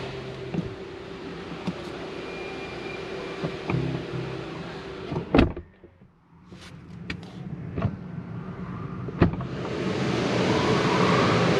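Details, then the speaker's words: 2023 Genesis G90 door unlatches and swings open smoothly with low motor hum and no knocking, after addressing a clicking noise from the motorized door checker; normal door opening. "Okay, so at least that's good. I don't hear that like knocking."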